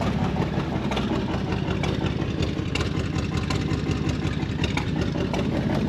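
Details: 1930 International fire truck (believed A5), six-cylinder: rough uneven low rumble with irregular gaps in firing; owner thinks it runs on about four of six cylinders despite cleaned, swapped plugs, unsure if plug wires or plugs.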